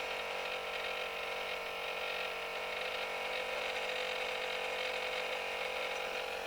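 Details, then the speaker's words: Sanyo VCR-6100 Betacord VCR motor run straight off a bench power supply gives a high, gritty whir with faint uneven ticking about four times a second. It sounds horrible, likely a dry bearing, and is to be lubricated: rough motor noise. "thing is you don't want to backfeed current into the motor controllers because that'll blow them up again all right so i got my power supplies turned it up listen to that motor that sounds horrible"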